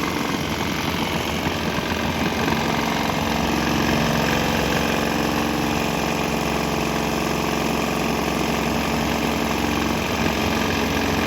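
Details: Swan X 165F Chinese single-cylinder diesel vibrating, throttle on start, switching to used canola fryer oil: steady even thump with heavy mount rattle, slight tempo and exhaust note change, no misfire or knock; running fine.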